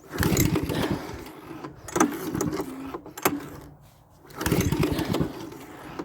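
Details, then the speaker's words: Pull-start engine that has been sitting dry for a while, key on and fully choked, pulled on the compression stroke; several rough pull-cord spins that die away without firing; cranks but won't start, owner thinks it may need priming. "Sounds like it's gonna kick over. I got the key on. Should have bumped over by now. I got it fully choked."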